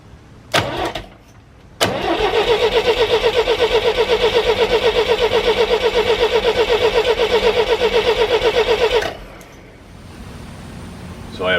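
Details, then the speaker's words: GMC 432ci V6, sitting almost 5 years: even cranking at about four turns a second for seven seconds with no firing; fuel line dry, owner suspects the fuel pump isn't drawing from the tank, float possibly stuck. "it's pulling a little bit when I take the line off and put my finger over the end of it but it's not drawn a lot I think it's having trouble drawing from down below"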